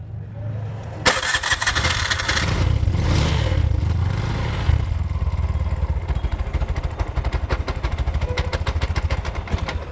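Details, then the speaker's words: Bajaj auto BS6 single-plug 2024 model, 43,464 km, after timing chain and clutch repair: starter catches, single-cylinder idle settles steady and even, no knock or rattle; normal start, idle now holds instead of suddenly stalling. "ರೀ ಐಡ್ಲಿಂಗು ನಿಂತ್ಕೊತಾ ಇರಲಿಲ್ಲ, ಸಡನ್ನಾಗಿ of ಆಗಿಬಿಡ್ತಾಯಿತ್ತು. ಬಂತಾ ಇದೆ."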